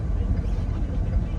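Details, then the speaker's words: 2013 Ford Explorer XLT turning right after repair: steady low road rumble, no pops or clunks. The popping came from a stop ring inside the steering rod, which was cut out and removed; the noise is gone. "It was doing it every time we turn right. Nada. It's not doing it anymore."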